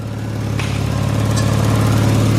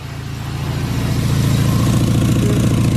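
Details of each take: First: Turbocharged Miata with forged engine and new Garrett turbo idling evenly with a steady low pulse, no hiss or ticking, after tightening a loose top exhaust fastener that caused the exhaust leak; normal idle. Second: Mazda Miata with forged engine and new Garrett turbo, freshly started in neutral, settles into a lumpy idle with a sharp rapid puffing tick: exhaust leak from a top exhaust clamp left loose; tightening it stopped the leak.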